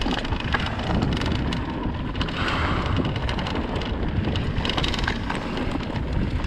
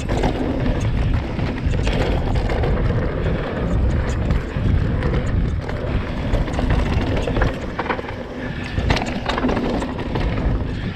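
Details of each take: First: 2020 Vitus Sommet CRS mountain bike riding a bike park trail: dense, fast clicking and clattering over trail rumble and wind from loose internal cables rattling in the frame, before fixing with split braided sleeving. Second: 2020 Vitus Sommet CRS mountain bike on a trail, filmed on a chest-mounted GoPro after the internal cables were sleeved with wiring-loom protector: steady wind and tyre rumble, no cable rattle from the frame.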